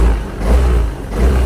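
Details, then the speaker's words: Yamaha Aerox scooter after throttle body and injector cleaning and ISC reset: two quick throttle blips each dropping promptly to a low steady idle; before, revs were slow and idle hung high, now response is good. "start natin Ayan maganda na rin ang response ng motor mga idol"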